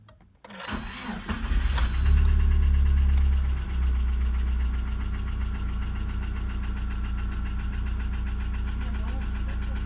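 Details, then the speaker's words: Lada Priora engine, warm past 90°C, rebuilt on worn crankshaft with standard bearings after spun 2101 bearings: idles with steady dull knock about four per second; oil pressure light goes out but knock remains, piston knock suspected. "давление погас на сразу но стук не прошел я слышали могу подождать ребята стук так и есть наша"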